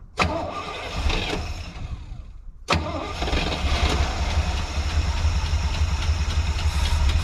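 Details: Squarebody C20 truck's V8 after sitting for years catches, stumbles a couple of seconds and dies, then refires and idles unevenly; owner suspects the tank is low and fuel isn't reaching the pickup tube, so it stalls after start.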